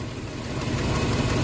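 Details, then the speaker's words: Classic auction car with EFI 3 L engine, just started, a little cold; removing a part (dipstick/cap) makes it idle really badly with an uneven, stumbling, wavering low rumble. Sign of a very tired motor; vacuum leak suspected after sitting, not confirmed. "that's a bad sign cuz watch this so take it off really LS down that's the signs of a very tired motor this little 3 l definitely needs uh some little help"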